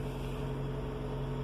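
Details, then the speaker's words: 2007 Ford Ka, previously hard to start when cold (coughing, sputtering), no fault codes stored; after coolant temperature sensor replacement it starts well and settles into a steady, even idle with a smooth low hum, no misses, until switched off. "was cold it was difficult starting and it would start coughing sputtering and as you can see right now it started lovely so excellent i'm going to call that a fix guys"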